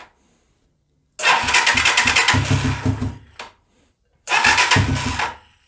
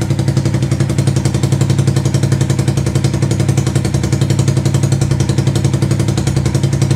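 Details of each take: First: 125cc Sinnis Heist hardtail chopper being rescued, first start attempts; two bursts where the single fires and revs briefly then fades and dies; starts then stalls, won't idle by itself, float height later adjusted. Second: 125cc CCW Sinnis Heist chopper after carb float-height adjustment: even chugging idle near four pulses a second for about ten seconds, then switched off and dies away.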